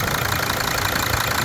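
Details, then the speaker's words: Mercedes 2.7 OM612 diesel at idle after a DIY repair of an intake knock (driven about 150,000 km with it) and a stripped injector thread, with the injector reinstalled. Smooth, even soft clatter with no knocks or misses. Normal idle. "Сейчас всё работает именно так. Обычный, приятный звук."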